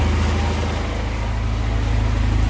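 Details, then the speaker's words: Houseboat Volvo Penta 130 inboard during tune-up, after reverting to first distributor cap: restarts, low steady thumping idle with even pulse and no misses, running properly. "oh fired back up this time all right well i say i'm making progress"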